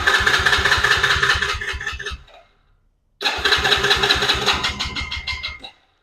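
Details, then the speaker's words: 110cc Chinese carbureted ATV with an intermittent spark problem: two bursts of rapid starter cranking with chuffs that never catch, choke fully down. It started with choke on, so the owner will adjust the idle screw, suspecting it runs too lean off choke. "So now, uh, since it's not starting with a choke down, I'm going to adjust the, uh, idle screw."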